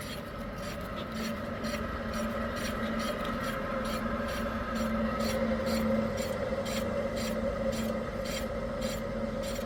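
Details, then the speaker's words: Proton Inspira (Lancer 08) rear hub turned by hand: a rough, gritty roar that grows louder with speed under a light repeating tick, unlike the quiet passenger side; a worn rear wheel bearing needing replacement. "okay so besides the this big sound you can hear a roaring sound that gets louder as it turns faster so that tells me that the bearing is short it needs to be replaced"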